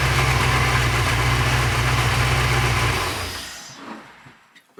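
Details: Porsche 928 V8 after oil pump pulley fix, run about 10 minutes: even, steady idle with no whine, then shuts off and winds down cleanly. Normal idle.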